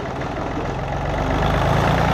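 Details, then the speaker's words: John Deere 855 diesel tractor, barn rescue after fuel flush: low, lumpy idle turns uneven and loping as one of three cylinders quits while its injector line is cracked to bleed air, then fires back; still runs rough after all three bled. "you'll notice that the the note will change and then when I tighten it back up it fires back up again so I did that to all three and you'll see that it's running on all three but it's still running kind of rough"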